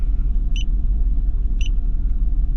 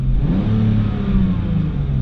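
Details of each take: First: BMW E46 3 Series at idle, shaking with a lumpy stumble about three times a second and an uneven rumble. The scanner reads a cylinder 2 misfire, traced to a faulty ignition coil. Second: BMW E46 six-cylinder after replacing the one faulty ignition coil: idle very regular and revs climb smoothly with no stumble, where before the rise was jerky; misfire fixed, all six cylinders firing.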